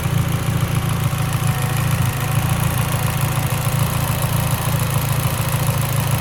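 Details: Mitsubishi Evo X, lean idle: idle rumble with irregular stumble about three times a second, uneven pulses; idle misfire, cause suspected lean, not confirmed.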